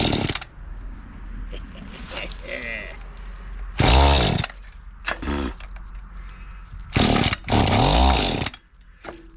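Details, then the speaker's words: Mantis tiller two-stroke, estate-sale unit, just after a fuel-system clean with the carburetor still unadjusted and started on choke: bursts to high revs, then sags and dies back in uneven surges, lean and starving for fuel. "Well, still starving for fuel, sounds like."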